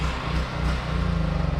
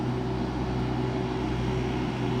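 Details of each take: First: Duromax generator running out of gas: drone sags and pulses unevenly, then settles into loose chugging before it gives up and stalls from fuel starvation. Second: Duromax generator, 40 A breaker setup, as a window air conditioner's compressor starts on high cool, with refrigerator running and microwave idle: constant, even drone with steady hum, holding speed without surging; sounds healthy under load.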